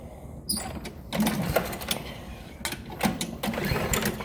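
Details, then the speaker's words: John Deere walk-behind push mower that won't start: several quick recoil pulls spin the engine with a short rattle each time, but it never fires or catches. "Nothing. It's not even acting like it wants to start."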